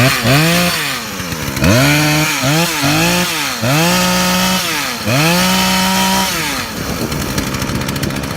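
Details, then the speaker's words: Poulan/Craftsman 42 cc chainsaw with 18-inch bar after a no-start fix (old fuel drained, spark plug) and chain rakers filed: snaps cleanly up to a high steady scream at wide-open throttle and drops back to idle, crisp response, running properly. "so he's got a good running saw now I tacked it out tax out - it's supposed to be everything's good"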